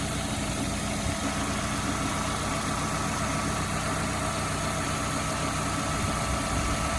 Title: Golf V 1.6 BSE engine knocking noise